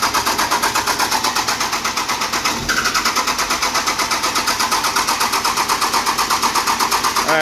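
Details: 12-valve Cummins dually, mechanical fuel pump reinstalled, quarter tank: even starter chugging about two per second, never catches; later traced to overflow valve unsuited to stock pump.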